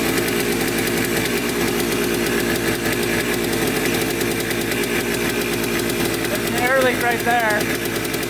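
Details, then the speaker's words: Yamaha Blaster 200 two-stroke quad that bogs with no power and heavy white smoke, recorded idling up close; fast crackling idle with unsteady beat and hunting speed; owner suspects crank seal or intake air leak. "on't know what is wrong with this thing we're gonna have to dig into it to find out but i'm i'm kind of suspecting either a crank seal or an air leak coming from somewhere so we'll have to see"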